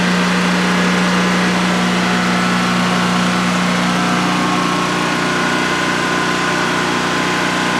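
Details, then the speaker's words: DuroMax XP15000HX generator in a shed, restarted a second time after installation, running on propane with the exhaust fan off: a constant, steady drone with a clean, unwavering hum over a 5-minute check run. Normal idle, running well. "wow and that was a a 5 minute run to see how it's just make sure everything is running well and everything is running well no issues"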